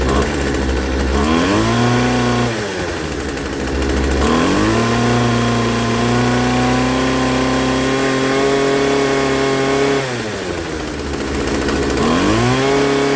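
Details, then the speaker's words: Poulan Pro 25cc trimmer after new carburetor and fuel line install, with the high-speed mixture just set: engine drops back but settles at a high, buzzy idle between revs; idle speed too high, to be lowered with the idle screw. "and then idling is high. This is your idle screw."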